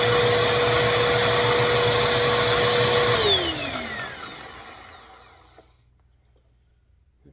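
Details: 2191 vacuum after cleaning bin, brush roller and dusting brush: steady high motor whine holds about three seconds, then winds down smoothly at switch-off; nothing wrong with it.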